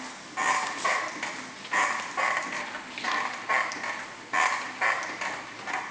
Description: Brand new Yowza Largo that was properly assembled. It started to make squeaky sounds right away. The noise seems to come from the pedals.